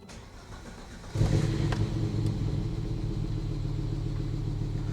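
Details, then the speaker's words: Volvo 850 T5 turbo, first start in 20 years after new fuel pump and timing belt: catches after a sharp start and settles into a steady, even low idle, sounds good. "she is alive she sounds so good"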